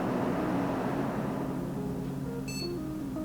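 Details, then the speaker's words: PC powered on after reinstalling the RAM sticks: over steady fan hum, one short high beep after a delay, a normal single POST beep as the system detects changed memory. "there we have it. But that took a little while to beep. That actually made me a little bit nervous. The system thinks I've changed the memory."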